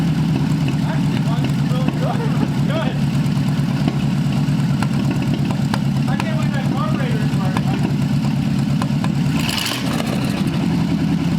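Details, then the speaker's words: Old Cadillac 331 V8 engine, first run after borrowed plug wires and cleaned points, fed from a small auxiliary fuel tank: steady even low rumble with no misses or knocks; running smooth and healthy. "so we made noise that was really awesome that's probably one of my favorite things in the face of the planet to do when it comes to old cars because nothing more satisfying than hearing an engine run for the first time"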